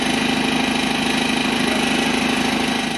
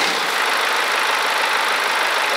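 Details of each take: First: BMW 118D F20 diesel at startup/idle, with severe vibration and a coarse, buzzy metallic rattle: the DPF bracket broke off and the exhaust flex pipe/front neck cracked; repair by welding. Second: BMW 118d F20 diesel after repair: steady, even idle with light clatter and no rattle, knock or vibration. Before, it rattled and shook at start from a broken DPF bracket and cracked exhaust neck, which were fixed by welding in three places.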